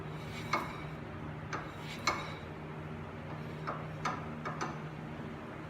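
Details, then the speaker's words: Nissan 350Z hub after wheel bearing replacement, spun by hand with no wheel fitted. A few light, uneven metallic ticks about once a second come from the untightened brake rotor. The new bearing spins freely and quietly. "noise is all right. It's the rotor, because it's not tightened down. There's no wheel on it, so it's just loose. But it spins freely."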